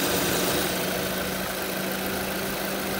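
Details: Used VW Polo with the CFNA engine, the one whose pistons do not knock: steady, even idle hum with no knocking or ticking; healthy engine idling smoothly.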